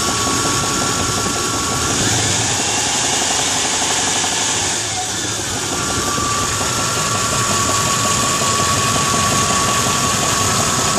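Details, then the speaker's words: Truck with an engine sold as rebuilt at 10,000 km, knocking since two months later: warm idle with a steady rhythmic tapping knock of about four per second; owner suspects a front pulley or possibly the bottom end. "It sounds like a pulley, like it's coming from the front of the engine. But I'm not sure. Could be bottom end."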